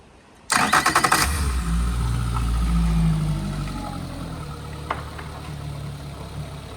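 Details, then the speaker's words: Boat engine running with the cowling off after a cable adjustment: brief crank, clean catch, then a steady, even run with no misses or knocks. Normal running. "There we have it. Engine's running perfect. Give it a couple revs."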